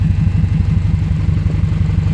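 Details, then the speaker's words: Subaru flat-four on first drive after a DIY engine rebuild: lumpy, uneven idle with a stumbling exhaust beat, running down a cylinder; misfire. "Now it sounds like a Subi. Down a cylinder now."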